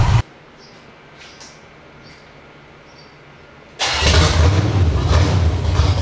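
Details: Summit Racing 1107-cammed 305 small-block Chevy on test stand, tuned to about 750–800 rpm idle; loud, lumpy, deep V8 rumble with uneven lope on open headers, mufflers removed; normal idle and revving.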